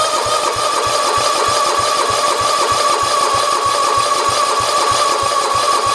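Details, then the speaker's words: 1967 112 round fender, steady starter whir with regular chug about three a second, never catches; no gas reaching the carburetor, needle possibly sticking. "yes that's our problem right there we're not getting gas to the carburetor"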